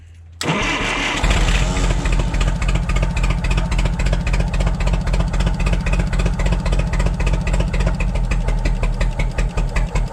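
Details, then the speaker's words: Propane forklift engine: starts, then settles into an uneven, lumpy idle with a regular stumble; rear cylinder dead, plug wire seen sparking to the head, later traced to a bad plug. "This back one is not working, so it could be the wire. I can see it sparking at the wire, so it's sparking to the head right now."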